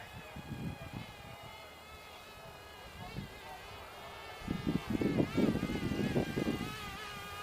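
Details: Cheerson CX-23 250 g brushless GPS 5.8 GHz FPV drone in flight: even, high buzzing whine that wavers in pitch as the motors trim thrust, likened to angry hornets, with no rattles or grinding; healthy brushless motors.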